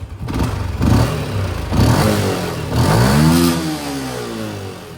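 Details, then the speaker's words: LC V8 with a plug-and-play Kozi ECU that removes the rev cut-off: several hard revs climb smoothly past the former limit and fall back with no stutter or cut at the top; pulls freely and sounds fine. "Dia lebih daripada RPM. So settle masalah."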